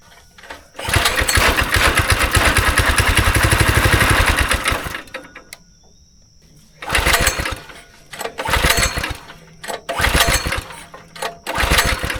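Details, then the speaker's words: Go-kart engine unused about 3 years, on choke, carb cleaner primed, held wide open: cranks, catches, runs ragged, then sputters in short bursts and dies repeatedly; bad gas suspected left in the tank, smells and runs awful. "So we got it to fire up. It smells awful and it runs awful."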